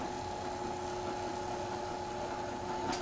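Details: Bag-hauling golf cart on new 4s15p 18650 lithium battery, remote-controlled, speed increased: steady even electric whine with two clear tones, no grinding; motors running smoothly and quickly.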